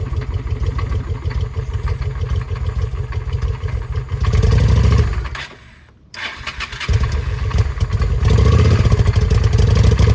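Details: 2007 Honda Shadow, knocking before, seized while running during oil check, now after clutch replacement and oil drain: rough uneven thumping with loose clatter, dies and restarts as rough; still bad, cause unknown.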